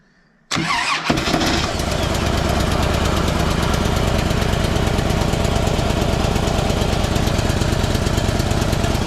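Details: Harley-Davidson Deluxe back from crash repair, first start after priming the dry tank, following a fuel spray on the first attempt: quick catch, then steady quiet idle thump about three beats a second on stock mufflers; healthy V-twin.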